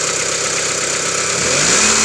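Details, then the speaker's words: 1995 Mitsubishi Lancer 4G92, about 5 thousand since a rebuild, no oil consumption, compression normal: a fast, even light knock at cold idle for about 30 seconds on morning starts, rising slightly with revs. The source is unknown. "Итак, Mitsubishi Lancer, 95 год, 4G92, стук на холодную."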